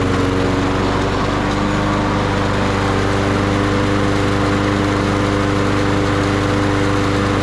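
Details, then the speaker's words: Toro 22-inch Recycler mower, Briggs & Stratton 6.75 Quantum auto-choke engine, stored 10 years, first start after refilling the carb bowl: steady buzzing drone, no hunting or surging; running smoothly, normal. "Sing it, little birdie. That sounded pretty good. Sound like a Mopar. Just perfect."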